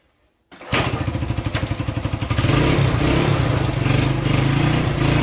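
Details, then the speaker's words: Honda SL100 single-cylinder motor in a 1975 SL125/XL125 frame, worn out, cold start on choke: loose uneven chuff only half-settling as revs rise; really cold-natured, rough running, carburetor may need adjusting, possibly timing. "It's really cold natured. That carburetor may need some adjusting too."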